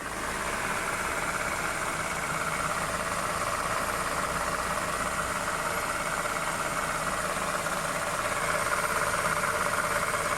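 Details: 2008 Honda New Civic, accessory belt tensioner already replaced twice, bearing-like noise worse cold at low rpm: steady idle with constant grainy whirr and faint whine; stethoscope traces it to worn power steering pump bearing.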